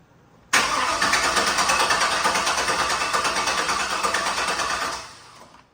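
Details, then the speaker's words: Turbo 6.0 L truck, first start on a 3-bar speed-density tune borrowed from a rat rod with a stage 3 cam, after installing 80 lb decap injectors, return-style rails and a Walbro 525 pump: steady rapid cranking about 4.5 s, never fires; crank sensor shows RPM. "Still nothing. That is a weird one, isn't it?"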